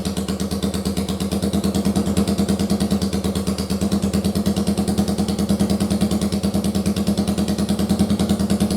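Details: First-gen Yamaha Virago 750 V-twin, run off the bike on a bare-bones harness after rockers and cams were redone following damage from a backwards oil filter: steady, even thumping at about three beats a second with no knocks or ticks, a healthy idle.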